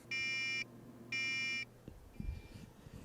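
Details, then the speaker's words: Tektronix AA501A distortion analyzer repair: a square wave (7.44 V peak-to-peak) drives a reed relay wired to a meter's continuity beeper, which gives two half-second beeps as the relay switches. At the IC's 5 V it would not drive the relay. "the square wave is switching the relay so it's actually working"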